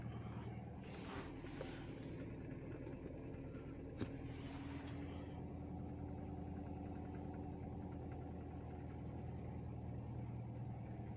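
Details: Toyota EFI petrol engine after a fix for missing, rough starting and rough idle: a quiet, steady low hum with no stumbles or misses, settling into a smooth, even idle.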